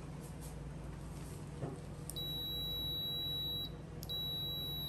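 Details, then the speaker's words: Kyoritsu digital clamp meter continuity buzzer test, compared against a Fluke: a thin, quiet, hesitant high beep comes in after a pause, drops out and returns. The buzzer is slow and weak, judged very bad. "Very bad. Keiretsu bad. Buzzer tak bagus. Slow sangat."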